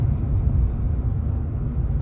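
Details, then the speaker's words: 2019 Chevrolet Silverado V8 with Range Technology AFM disabler fitted; deep, even low rumble at steady cruise with no droning hum coming and going, engine staying in V8 instead of switching to four cylinders. "still in theatres a lid off they're not cutting on and off constantly because this engine would every time you let off arc was you know not going up a hill or anything it was going in between v8 and four cylinders all the time"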